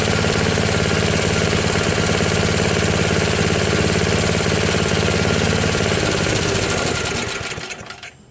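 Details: Craftsman snowblower, after a replacement gasket was fitted (not leaking): the small single-cylinder engine runs a steady, even, fast beat of about 214 firings a minute before shutting down; it runs healthily.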